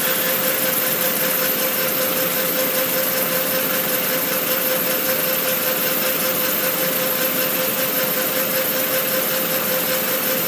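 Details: Yamaha R1 (DV) motorcycle idling with a steady airy hiss that pulses gently plus faint constant mid tone, louder on cold start; cause unknown.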